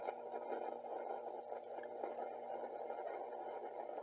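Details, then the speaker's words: 1958 Grundig Fleetwood radio, just back from a vintage radio repairer, switched to the SW shortwave band: only a faint steady hiss with scattered crackles and no station audio; no shortwave reception, cause unknown. "i don't know why it doesn't work though hmm it doesn't work i'm trying to figure out why well i can't get short waves to really work"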